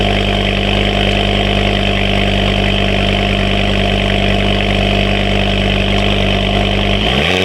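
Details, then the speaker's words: Ford Focus ST/XR5 turbo petrol after exhaust leak repair: steady even idle, much quieter, no puffing or ticking from the exhaust; earlier misfiring and cutting out improved. "but yeah 10 times quiet already like I can already sell big difference in the noise"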